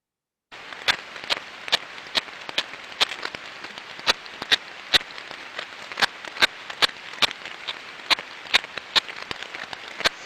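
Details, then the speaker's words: Ultrasound on a bearing of a six-month-old asset reading two decibels versus zero on seven others: repetitive sharp knocking clicks about twice a second over quiet hiss, amplified here, low-level in headset; other technologies missed it; outer race crack. "so through the laptop and through the computers right now that sound is being Amplified but in the headset it was a very low level knocking sound"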